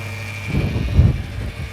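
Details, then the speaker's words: Ford Falcon XR8 V8 at auction, idling with bonnet open: steady high whine over lumpy idle, unchanged through a small blip; belt noise, suspected from a vibrating pulley. "sounds very whiny and i reckon it's probably from that pulley there that's vibrating"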